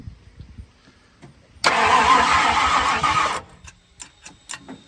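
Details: 1970 Ford Falcon with a budget-rebuilt 5.0 and AOD, first start attempt: the starter spins the engine in a steady churning rhythm for under two seconds, never catches, then quits. It cranks but won't fire.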